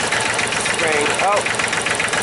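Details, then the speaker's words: 2005 Massey Ferguson tractor, Japanese-built 3-cylinder diesel, after crank-no-start diagnosis: lumpy uneven chuff with a missing beat; running on two cylinders because one high-pressure injector line was left disconnected. "it down I forgot to reconnect that high pressure line that's why I was only running on two cylinders"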